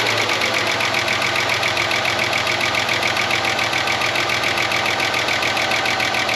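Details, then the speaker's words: 30-year-old Ford Falcon ute from a paddock, idling while warming up: fast, light chattering tick about three or four per second over a steady idle; owner suspects a stuck lifter and hopes heat will pump it up, and thinks one cylinder is down. "I'll let it get hot and try and pump up that lifter. See if it goes into gear. Can't get the window down. I've never heard one of these tap like that."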